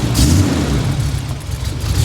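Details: Roughly 30-year-old BMW E36 M3 Evolution after a fix for a reluctance to rev; air filter clean, intake leak-free. Engine revs up and settles smoothly with no stumble or misfire; normal revving.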